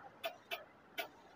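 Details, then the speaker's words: Bajaj Pulsar 220, battery already replaced and recharged, reading over 12 V: pressing self-start gives sharp dry relay clicks about half a second apart, meter dims, no cranking; starter relay chattering, traced to a loose engine earth bolt. "இதுல பார்த்தீங்கன்னா நம்ம self போட்டோம்னா அப்படியே metre down ஆகும் relay sound tick டிக்ன்னு"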